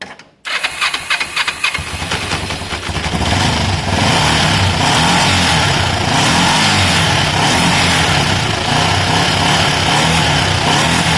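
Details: Kawasaki ER5 twin, 62,000 on the clock, low fuel on reserve, rescue project nearly finished: quick catch on the starter, then a steady, even idle with no knocks or misses; normal start and idle.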